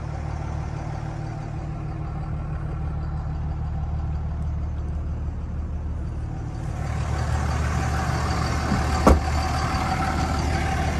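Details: 2003 Dodge Ram 2500 Sport 4x4, 5.9 Cummins common-rail diesel, automatic, one owner, 85,668 miles, no internal EGR: low, steady diesel rumble at an even idle with soft clatter, no knocks or misses; healthy normal idle.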